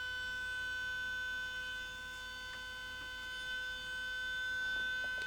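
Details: Panasonic AG-4700 S-VHS VCR (like NV-HS1000), at power-up: thin high steady whine, head drum motor overspeeding with E9 display before settling; boot fault persists after power supply and main board swap.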